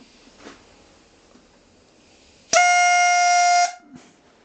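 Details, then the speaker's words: eBay fuel pressure regulator bench-tested with air, adjusted down with a spanner to about 3.5 bar target: sudden steady honk for about a second then stops; regulator venting correctly at its set pressure. "See, it's working. Fucking working. It should be on about 3 now. There you are, 3.5. That's what I need."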